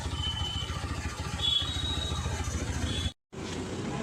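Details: TVS Apache RTR 160 4V after loosening and manually adjusting the idle air screw to fix stalling at slow speed: even single-cylinder beat at about 1500 rpm, steady and smooth; normal idle.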